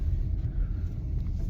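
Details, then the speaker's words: Grandma's Subaru test drive after new slotted rotors, pads and calipers: only smooth low road rumble, no grinding or scraping; the earlier rubbing noise is gone, brakes quiet. "We know there's going to be a... I don't hear it now. That rubbing noise."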